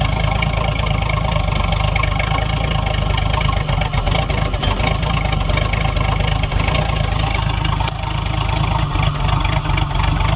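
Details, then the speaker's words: About 1968 Ford Falcon petrol six-cylinder, parked since 1990, 20,000 original miles, fed by pouring fuel into the bowl; steady low idle with slightly uneven beat, but a good flat spot when revved. "She's got a good flat spot when you try and rev it, but I don't want to hurt it, either."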